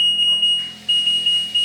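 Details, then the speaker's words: LG WD-P1410BRD front-loading washer, after repair of a dead (no power) module with the power supply reconnected to the display module: crisp high beeps, one per key press; touch panel responsive, working normally again. "Nah, touchscreen juga sudah responsif. Nah, untuk kali ini sudah normal."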